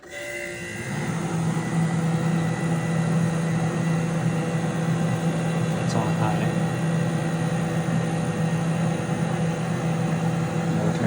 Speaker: see the fan is a little bit loud so turn it on high